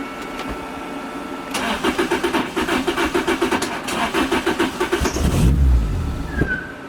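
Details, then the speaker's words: 2006 Lotus Elise, turbocharged 2ZZ with six-speed manual: cranks endlessly and sputters but won't start. Fuel pump, sock and pressure regulator already replaced and fuses all checked; owner suspects the tune. Tach sits near 1000 rpm after cranking with the engine not running. "i mean i can crank it endless it just doesn't want to start it sputters"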